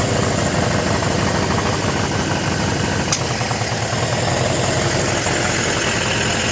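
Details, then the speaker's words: Suzuki four-cylinder motorcycle, reading about 23,000, spark plugs just fitted: steady even idle with no misses or knocks, though idling too fast and number two cylinder dripping; needs tuning, possibly needle and seats; normal idle. "Let's see if we can turn down that idle. Need some more tuning. Obviously doesn't sound half bad."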